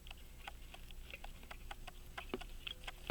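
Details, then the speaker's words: Illinois Springfield Watch Co. 18-size key-wound, key-set pocket watch, crusty and stopped, opened up to get it running: faint quick ticks about four or five a second, described as loud; movement running normally. "it works it's loud I don't know if you can hear that I can hear it from here"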